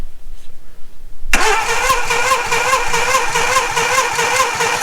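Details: 1987 Suzuki Samurai with messy wiring and bad connections, engine previously seized from running out of oil: starter cranks at an even, steady rhythm for several seconds without catching; cranks but no start, coil power suspected.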